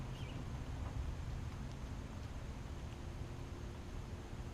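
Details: John Deere X300 lawn tractor outdoors after fixing no-spark, running and deck issues (parts listed: ECM, carburetor, deck belt, blades), spindles greased; steady low engine drone, light wind, no knocking or squeal, smooth and even; normal running.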